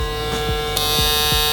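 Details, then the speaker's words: StyleCraft Ergo clipper modified with a swapped-in blade: steady high buzz that turns harsher and louder as the blade lever is tightened; overtightening the lever makes it loud, and backing it off quiets it. "So I guess that's the trick, guys. It's this lever. So if you tighten this lever too much, it's gonna be very loud."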